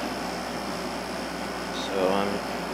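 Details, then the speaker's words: Emerson Quiet Kool 6300 BTU air conditioner after replacing bad-bearing rumbling fan motor with GE motor from a Kenmore: steady even hum, soft airy fan, no rattles or squeals; running quietly. "I don't know what that was but yeah it's running nice and quiet now medium and low"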